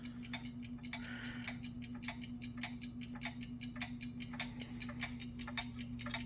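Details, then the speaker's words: RCA SelectaVision CED videodisc player doing visual search on side 2: rapid uneven ticking, about three a second, over a low steady hum as the disc skips grooves instead of fast-forwarding; snow appears on the lower half of the screen. "do visual search. As you can see, it's kind of skipping. It doesn't want to fast forward."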